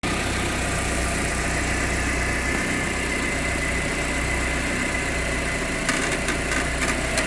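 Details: Proton Exora CPS petrol engine idling with a busy, rattly metallic chatter over a steady low hum; the owner asks how to fix the rattling.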